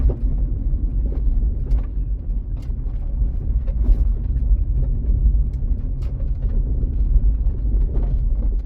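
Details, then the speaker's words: 1996 JDM Honda CR-V RD1, driving before shock replacement: irregular dull thuds and knocks through the body on each bump over road rumble; suspension noise, owner hopes it is the shocks. "anytime you hear hit bumps, there's just this crazy like um I don't know. It's like a weird vi vibration. I'm hoping it's just the shocks."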